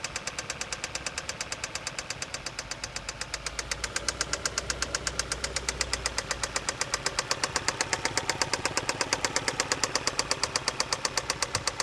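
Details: 2007 Kia Carens 3, 2.0 L CVVT G4KA, after replacing a stretched timing chain set to the marks: a sharp, regular metallic knock about 160 a minute over a smooth idle, near cylinder 1. Valves suspected, not confirmed.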